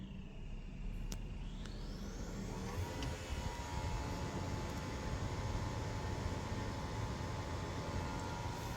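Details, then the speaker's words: Hybrid car in an Indonesian demo, engine otherwise silent, AC switched on: soft whir rising in pitch at start-up, then an even, steady hum without knocks or rattles; normal AC compressor running. "Nah itu suara kompresornya teman-teman ya."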